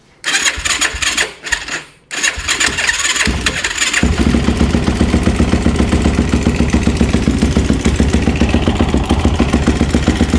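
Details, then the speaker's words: Yamaha YFZ450 with a 480cc big bore kit, engine rebuilt after a blown head gasket, muffler just tightened: a few cranking bursts, then it catches. With the choke off it settles into a steady, even single-cylinder idle thump and starts easily. Normal start and idle. "Alright, our choke is off. Seems to be running pretty good. Seems to start better off the rip right there, you know, just, I personally, one of my rules of thumb is how easily and consistent does it start back up."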